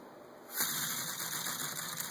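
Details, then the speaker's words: Homemade LPE-style inline 3-cylinder air engine with newer valves, starting without the RPM stabilizer: air hiss, then quick even chuffing settling into a steady fast run at very little pressure, with a slight rumble; running smoothly. "As you can see, very easy to start. I don't even need the RPM stabilizer anymore. I can just, cruise fairly easily at very little pressure."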